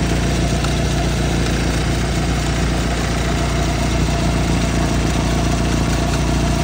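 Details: 1991 Ford Tempo/Topaz at idle: constant, slightly rough whirring drone from the belt drive; failing tensioner, idler pulley and water pump.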